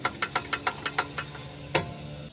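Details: Rapid sharp metallic clicks as a recently replaced sway bar link rocks on its loose nut, top nut also loose, causing clunking that persisted after new front shocks and sway bar links.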